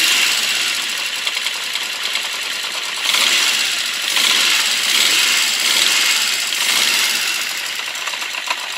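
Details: Honda CB650 Custom warm idle after a very cold start: light, somewhat uneven ticking at about three per second over a thin idle, slight backfires. The owner suspects valves on cylinders 3 and 4, or the clutch or cam chain area; unconfirmed.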